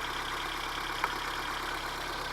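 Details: 1980 Honda Civic petrol engine, original miles, ignition coil recently changed, being brought back to running: quiet, even idle with a light, fast valve tick and one small click; normal idle.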